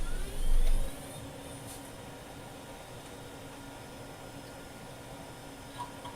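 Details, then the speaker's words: Restored 1993 IBM PS/1 486 DX2 66MHz PC with a replacement 528 MB hard drive, running on an ATX PSU adapter, at startup: a brief thump, then a low, steady, smooth whir from the fan and hard drive spinning up, with no rattles. "Now let's bring it back from the dead and listen to its startup amazing sounds."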